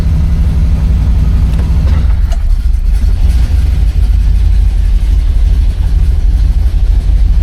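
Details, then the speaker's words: 1970 Oldsmobile Cutlass, Rocket 350 V8, warming up at about 52 °F, good oil pressure and vacuum: a deep, steady, even burble at idle with no knocks, ticks or squeals, healthy. "Thing definitely sounds like she wants to break loose. Sounds phenomenal though."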